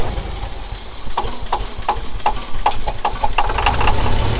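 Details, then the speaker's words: Engine with plug wires checked by hand, number one cylinder not firing: rough uneven idle with sharp ticks about four times a second over a lumpy low rumble – dead cylinder misfire. "That one's firing. That one's firing. That one's not got jack. Number one's not doing quite much yet."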